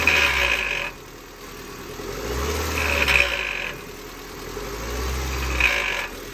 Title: What a failed catalytic converter sounds like - 2005 Honda Civic